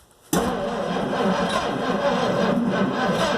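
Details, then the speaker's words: 1958 Plymouth Suburban cranked on a battery charger: the starter spins the engine with a lopsided rhythm, one beat noticeably lighter as if a cylinder has no compression; uneven cranking, owner suspects a stuck valve. "Yes, it's turning over, and I believe I have a stuck valve. So I'm prepared to remove the valve cover and get that valve unstuck, because it sounds like it's got one cylinder. It's not doing compression on, but it's turning over."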